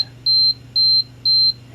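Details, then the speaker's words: Canon AE-1 Program 35mm film SLR with a Canon FD 50mm f/1.8 lens. The self-timer gives clean high-pitched beeps at about two per second, counting down: a normal self-timer. "if we were to set this back on a higher speed and set for the timer we can do that here we hear it counting beeping a little bit"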